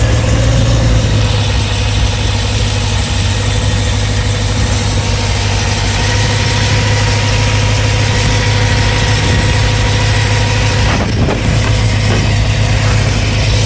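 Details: BMW E92 M3 S65 V8 at 65,600 miles, oil changed 300 miles earlier: loud steady idle with faint, uneven light tapping over the rumble; louder cold, still present warm. Cause unclear.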